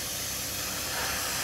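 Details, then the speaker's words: 1999–2001 Dodge 2500 Cummins diesel, listened to close at the intake boot with the engine pressurised: loud steady hiss of escaping air, a boost leak where the boot has slipped or rubbed through at the intercooler connection. "now with everything off in here and quiet maybe we can hear where it's coming from"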